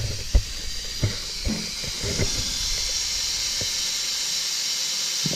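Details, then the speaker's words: Jeep engine-driven on-board air system: a steady high hiss continues after the compressor stops, with handling knocks. Air is leaking through the threads of a fitting and pressure drops to about 60 lb. It needs resealing with new thread sealant. "got ourselves a little leak there feels like it's coming through the threads so going to have to take that apart and clean that up sometime put some new some new thread stuff in"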